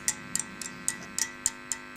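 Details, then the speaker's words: Westinghouse H-598P4 tube radio under restoration, most parts replaced, 3V4 amplification stage working: sharp ticks about four a second, each leaving a faint steady ringing; microphonics loudest on the 1U5 tube, owner suspects a defective tube, unconfirmed. "well as you can hear the microphonics our loudest on the one u5 maybe the tube is the factuous I don't know defective I mean"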